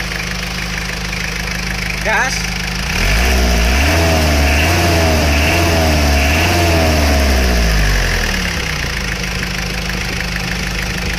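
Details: Isuzu Panther diesel after a repair costing about 5 million rupiah: a steady, even idle clatter with a clean blip of revs and back down, running smooth and healthy.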